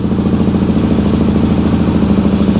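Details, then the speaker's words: 2001 Suzuki SV650S with a new spark plug and confirmed spark, started on choke and starting fluid: lumpy, hollow thumping with every other beat missing. It runs on one cylinder, which is fuel-starved by a failed fuel pump. "let's fire it back up now you can like I said you can you can definitely hear it running on one I just pulled gas into the cylinder by doing that"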